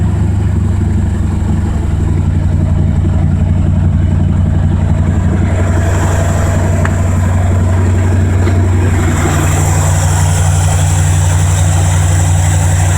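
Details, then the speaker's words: 1984 Mazda RX-7 with swapped Ford V8: deep steady V8 idle with no surging or stalling; oil thinned by fuel from sticking needle and seat, and worn rings burning quite a bit of oil. "But it's running, so that's a step in the right direction. so as you can see, the car actually runs and is holding an idle."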